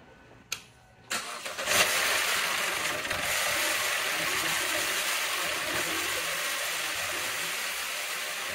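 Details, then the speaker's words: 2014 Chevy Cruze 1.4L Ecotec with no oil pressure from bad oil pump, started at idle: cranks and catches, then fast dry ticking chatter over a rough idle as valve train is oil-starved; dash warns low oil pressure. "but also just you can definitely hear the valve train up here is not getting the oil that it needs also I mean on the dash it does tell you low oil pressure shut the engine down"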